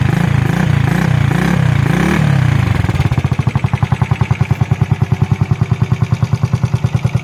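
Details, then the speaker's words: 1991 Honda JX110 classic motorcycle: brief blip, then a quiet, smooth, even putter of about three beats a second with no knocks or misses, a normal healthy idle. "เครื่องเงียบๆนิ่มๆรายงานยาวๆกันเลยนะครับ"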